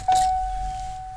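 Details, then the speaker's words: Early Fox-body Ford ('79) with later-model chime module replacing the buzzer, after the low-volume fix: one clear, steady chime about a second long, strong and clean; warning chime working at full volume. "because the clips are different but that's pretty loud that sounds good"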